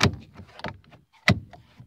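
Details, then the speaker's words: 2014 Scion xB driver's door power lock after repair with a replacement lock actuator motor, door panel reassembled: several crisp clunks about half a second apart as it locks and unlocks, each snapping cleanly home. The lock now works normally. "I'll test the power lock now. Well, it's open. I can hear it. There we go. Music to my ears."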